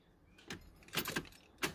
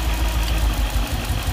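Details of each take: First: Nissan D40 Navara after a V8 engine swap, first start attempt: a few clicks, then the fuel pump's steady high whir with air coming through as the engine cranks over; fuel pump working. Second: Nissan D40 Navara with freshly swapped VK45DE V8, first start, fuel possibly still airy, slow lumpy idle about 500 rpm with uneven stumbling beat; one cylinder down, owner suspects injector, later traced to dirty injector plug contacts.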